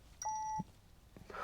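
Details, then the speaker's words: Peugeot 308 GTI cabin after valvetronic (variable valve lift) motor replacement, ignition on before first start: one short, clear half-second chime in a quiet cabin, the low fuel warning. "the fucking fuel. It's giving me PTSD, that noise."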